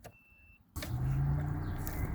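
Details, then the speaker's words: 1991 VP Commodore, cold engine, ignition key on without starting: silence, then the thermo fan whirs up to a steady hum. The faulty ECU wrongly runs the fan; a new coolant temperature sensor didn't fix it. "As you can hear the thermo fans going. The car is cold and the thermo fan should not be starting up as soon as I turn the ignition on."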